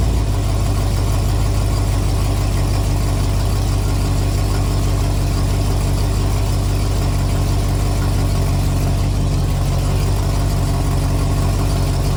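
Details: 1974 Ford F250 SuperCab 460 V8, parked 14 years, at a revival start with the mechanical fuel pump rehooked. Deep, even burble at a steady idle with no misses or knocks; it idles healthy.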